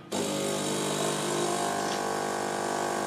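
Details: Saeco xSmall SUP033R coffee machine, after descaling, during brewing: steady even buzzing pump hum with liquid flowing, no rattles or strain; pump running normally.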